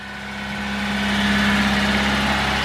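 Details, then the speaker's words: 1987 Honda CRX HF 5-speed, recent timing belt and head gasket, sat about 7 months: smooth, even hum while still cold, no smoke and no knocks or odd noises, a normal idle. "running, no smoke. No weird noises really coming from the engine."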